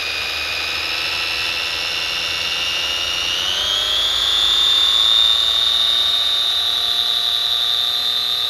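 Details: 3D-printed Frankenstein RC car differential, nylon spur and diff gears, motor held by hand, unloaded up to full throttle: high, steady gear whine climbing in pitch then holding smooth and even; gearbox runs freely, bench vibrating.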